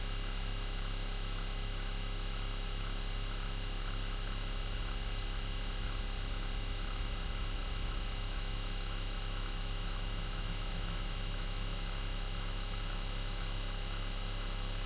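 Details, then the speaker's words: RV fresh-water pump after winter camping (owner suspects ice): a steady, low electric drone that never cycles off because the pump won't build pressure. Traced to a leaking cracked fitting. "the pump should be going off by now I wonder what's going [Music] on why isn't it building pressure"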